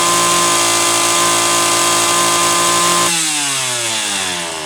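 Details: Homelite Super XL chainsaw (brought in for boiling fuel and overheating) on test run after starter spring fix and replacing a bad new spark plug; steady high revs held three seconds then smooth drop; high side set slightly rich on purpose to warm it up; running healthy.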